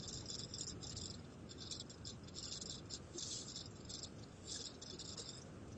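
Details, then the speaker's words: Skoda Kushaq cabin while driving: light chattering rattles come and go over a steady road rumble, like something loose buzzing against interior trim; the source is not confirmed. "यह कुछ rating और जो मेरे गाड़ी में आ रही थी वह सब है आपकी गाड़ी में भी सेम इस तरह से आ रही होगी"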